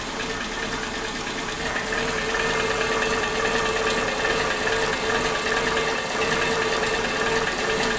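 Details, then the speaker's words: Suzuki Katana engine at idle after valve clearance check and readjustment, crankcase breather hose to airbox disconnected: light quick ticking about two per second; owner suspected loose valve clearance, but tightening didn't cure it, likely normal. "Tidak bisa halus banget, tetap ada suara berisiknya, ada suara kayak ketukan-ketukan seperti itu."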